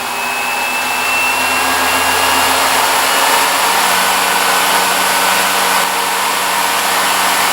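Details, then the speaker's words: Salvaged treadmill motor and controller fitted to a 1944 Delta wood lathe, run at maximum setting 9 after slow spin-up: even steady high whirr with airy rush, no knocks or wavering; running normally. "And let's actually take it all the way up. It goes up to maximum of 9 on this"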